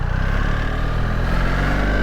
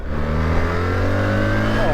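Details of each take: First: New BMW R1300GSA on the road: steady engine drone under wind rush with a thin high whine above the engine note; exhaust whine, which the rider hopes to remove on his R1300GS with decat headers (cause suspected). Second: New BMW R1300GSA with the stock exhaust, heard while riding: a deep boxer note whose pitch falls smoothly as the throttle closes, with a light burble on overrun; normal exhaust overrun.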